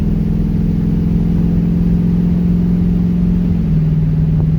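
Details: LS-swapped car on new spark plug wires, about 30 degrees out, driving in fourth gear under light load: steady deep V8 drone at even pitch with no misfire tick or shaking. It is running clean after the plug wire fix.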